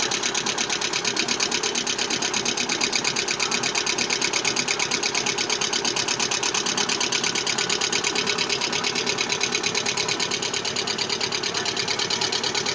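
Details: Lada Vesta engine at idle: fast, regular metallic tapping runs steadily without letting up; engine knock, with low oil pressure reported.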